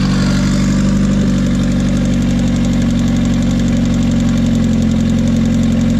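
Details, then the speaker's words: Car idling with a light, steady ticking at about three to four per second, sounding like top-end valve noise. Owner believes it needs a valve adjustment (unconfirmed) and reports a gauge not working when accelerating. "So I'm gonna go outside, let you hear the ticking sound, because I want to hurry up and turn it off so it doesn't burn the plastic when I put it on the car."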